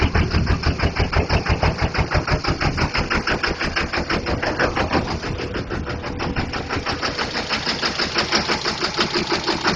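Diesel idles with a hard, lumpy chug about three beats a second, uneven and loping rather than smooth; a failing injector misfiring one cylinder.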